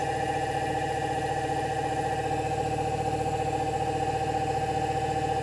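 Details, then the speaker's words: Electric motor on a Solectria AMC/UMOC controller test box, on cruise control: smooth, even whine holding constant pitch at about 2,290 RPM, then rising to hold 3,030 RPM; throttle has no effect, speed held steadily. "Yeah, 2,290-ish RPM. And then we can probably just hear the pitch will speed up. Maintaining 3,030 RPM."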